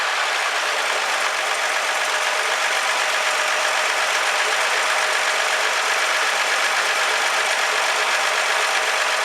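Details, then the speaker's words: 1964 Ford F100 first start, run on gas poured in after confirming spark: steady, even idle with a quick regular beat under some hiss, no knocks or misses; oil pressure light works, engine sounds good. "the oil pressure light came back on when i shut it off as well so that appears to be working so this is awesome this thing sounds good"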